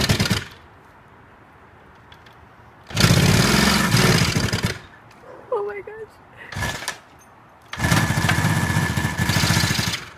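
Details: 1972 Kawasaki H2 two-stroke triple that sat in a garden for 20-30 years, first start after a not yet complete restoration: it catches in short bursts of rapid, crackly firing and runs briefly; it starts fine.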